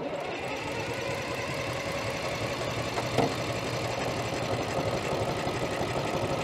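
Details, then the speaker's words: Allis-Chalmers track loader diesel, sat many years, cold start without ether, starter run on 24 volts: fast even cranking, about three beats a second, engine spins freely but won't fire. "come on baby turning over plenty fast enough let's give her again contact"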